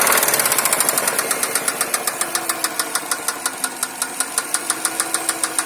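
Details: Subaru Forester EJ205 at idle with a sharp, steady metallic tapping about three times a second. Engine knock.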